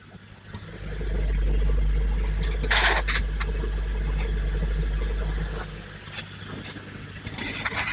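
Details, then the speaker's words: Hygger HG981 10W aquarium air pump with two outlets, microphone next to the pump: only a faint steady low hum with soft bubbling; running quietly and normally. "Can't even hear it."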